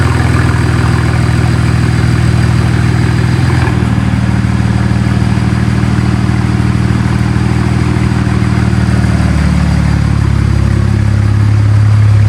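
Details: BMW with N54 engine just after walnut-blast intake valve cleaning and new gapped spark plugs, first run after sitting, warming up: smooth even idle with steady low hum and two small speed steps as it settles, no misfire or ticking; normal idle.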